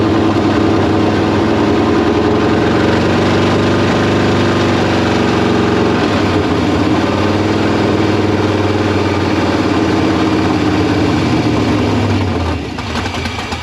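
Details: K5 Blazer V8 just converted to Holley Terminator X EFI with throttle not yet adjusted: races at a high, slightly uneven idle about twelve seconds, then sags and dies; owner suspected idle air or vacuum leak; misfire from clogged injectors.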